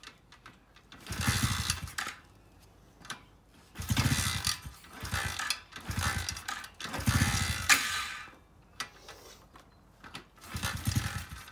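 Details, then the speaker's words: Cheap Chinese automatic 4-speed pit bike running only on choke after cold start: small uneven revs in bursts, dropping almost to stall, bogging on throttle; owner suspects a clogged carburetor main jet, before carb rebuild. "I know it runs but it only runs on the choke sitting so I think we might have a main jet clogged"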